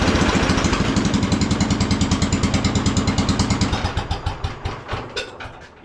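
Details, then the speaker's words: 1976 Cub Cadet International Harvester 1250 garden tractor at startup: a single-cylinder engine firing loud, sharp and raspy like open headers, with an exhaust leak; the muffler is suspected torn off, and vibration is blamed for the noise. "yeah it sounds great right sounds like it's got headers on it like a race car though too so something's going on with this exhaust"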